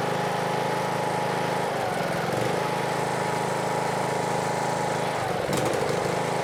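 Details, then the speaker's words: Husqvarna riding mower, Briggs & Stratton single-cylinder, after replacing camshaft with failed decompressor that made it crank like a dead battery: starts easily, steady even idle, no misses or knocking; healthy after repair. "see if we're going to click from this one right here we do you ready and it idles dark nice dude very easy"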